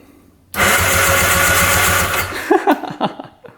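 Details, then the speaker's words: 1995 Arctic Tigershark Monaco 640cc jet ski unrun 20+ years: starter spins the engine with steady churning under two seconds then cuts out abruptly after being tapped with a punch; intermittently sticking starter, engine not seized. "So it's definitely the starter. We tapped on it and it just started working, so now we know for a fact it's a starter."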